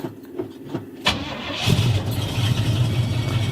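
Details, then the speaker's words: 1970 Pontiac Firebird Formula 350 V8: the starter whirs briefly, then the engine catches into a lumpy low idle and nearly dies. There is an unidentified noise on start-up; the owner doesn't know the cause. "I hate that sound and I've got no [ __ ] idea what it is oh it's gonna die Oh rip"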